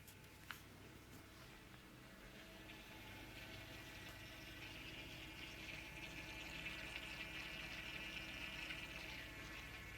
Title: Electrolux fridge making weird noise